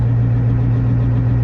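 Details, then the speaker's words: GAZ 66 truck recommissioned after winter, started with a little choke, idling as main tank pressure builds: deep even low-pitched drone, no knocks or misses; normal idle. "So, idling away. It's up to 6 and 1/2 bar, which is where it's blowoff pressure is."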